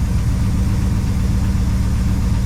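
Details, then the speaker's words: 1966 Ford Fairlane 390 FE V8 revived after about 20 years: deep, even idle rumble with no knocks or stumbles as it warms up. There is slight smoke, probably from the #1 cylinder burning off oil, and the carburetor is leaking gas. "It sounds good. All right, y'all. I want to tell you, this 1966 390 has, this one has been resurrected."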